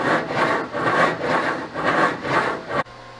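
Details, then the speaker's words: 2014 Ford Explorer electric steering gear with a failing internal bearing: coarse rasping grind swelling about twice a second when the steering wheel is turned, like a bad wheel bearing; can cause steering lockup. "And as it gets worse, it sounds like this, and it kind of makes like a really bad wheel bearing sound, except when you turn the steering wheel is when it makes it."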